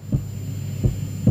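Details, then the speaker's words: 1989 Yamaha PSS780 keyboard after repair, silent with stereo chorus on and input gain raised: deep low heartbeat-like thumps, three in 1.5 seconds over faint hum; stops when stereo chorus is turned off. "but notice the stereo chorus lights on what I've discovered especially if you wind up all the beasts is it's got a heartbeat if I bring the gain up just here on its input"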